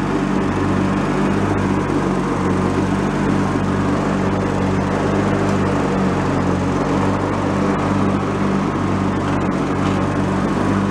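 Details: Free, previously derelict Craftsman riding mower, function check after electrical and safety-switch repairs with spindles checked not bent: smooth, steady engine drone with blades spinning evenly, no spindle whine or rumble. Deck fairly quiet, bearings not noisy, runs normally.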